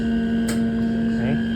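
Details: Manitowoc icemaker with no ice production, during startup after water purge and equalize: steady mains-pitch hum with no compressor run building underneath; the compressor isn't starting, traced to a failed potential relay.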